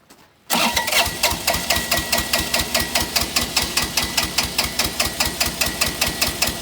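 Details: Bobcat 328 mini excavator diesel, long-sitting, injectors replaced by a previous owner and smoking since: steady cranking beat about two and a half strokes per second with clattery compression puffs, never catches; compression suspect.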